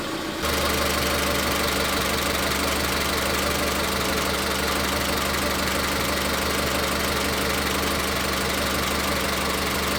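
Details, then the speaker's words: Car with individual ignition coils, being tested for misfire, idling with an uneven, lumpy beat about three times a second during a coil-connector power balance test; the misfire was later traced to cylinder three. "en este vehículo que, como lo menciono, si tiene falla de encendido y aquí lo vamos a ver claro."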